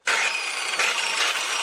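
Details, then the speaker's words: Stern angle grinder spinning up unloaded with a harsh, rasping high roar that has grown loud lately; a worn armature bearing, repaired by replacing the gearbox housing and fitting a new bushing. "Se oye un ruido característico que indica problemas con el rodamiento."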